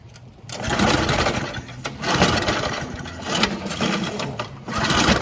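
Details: Old Briggs and Stratton mower after carburetor diaphragm replacement. Running with uneven, fast metallic clatter; loose front deck piece hitting the blade, not the pull start.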